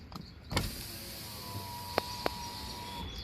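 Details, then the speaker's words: 2018 Nissan Altima passenger door, panel reinstalled, window tested: smooth, even motor hum with no grinding or clicks; normal power window operation. "There's the window operation."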